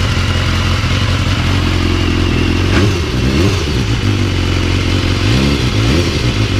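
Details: BMW S1000R inline-four after fitting a manual cam chain tensioner for a loose, slapping cam chain: revs up and settles with a smooth, even note and no top-end rattle; normal running engine.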